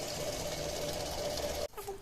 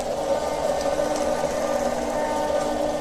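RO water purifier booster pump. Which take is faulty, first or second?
second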